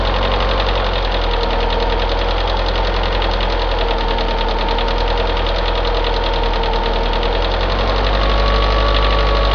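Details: Opel Astra G X16XEL at cold start idle. A light, fast ticking at about three beats a second comes from the right side of the engine; mechanics suspect valve lifter wear. A separate left-side noise is suspected by the owner to be a worn cambelt tensioner roller.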